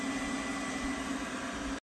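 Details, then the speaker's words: Creality K1C 3D printer extruder after clearing a filament jam that caused clicking: even motor hum, steady mid tone, no clicks or skips; filament feeding normally. "let's start extruding again all right so it's sh in let's feel it the motor is spinning"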